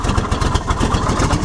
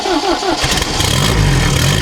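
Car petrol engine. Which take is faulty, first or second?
first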